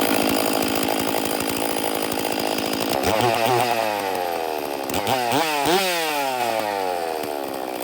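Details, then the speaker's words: Stihl MS460 chainsaw fitted with a dual-port muffler: harsh, loud two-stroke howl rising and falling with throttle blips; much louder with the dual port. "immediately well it's quite a bit louder with that dual Port"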